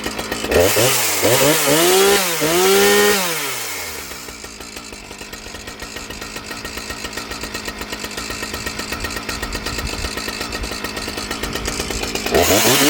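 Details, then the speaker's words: Husqvarna 455 Rancher chainsaw, previously bogging, after correcting misrouted purge and fuel lines that flooded the carburetor: revs climb and drop cleanly without bogging, then settle into a steady, even idle; running properly. "Well guys, I think we have pretty much solved the problem of the 455 Rancher."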